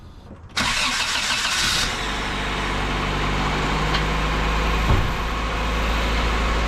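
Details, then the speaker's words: Bone-stock Honda Civic CX hatchback (EG) with a swapped-in stock single-cam engine; quick crank catches at once and settles into a smooth, even idle with no knocks or misses. Healthy, no check engine light; key had been inserted backwards. "So you guys heard the car turn on, and now I got to figure out why it's not cranking from the inside of the car. Sounds good. Sounds freaking awesome."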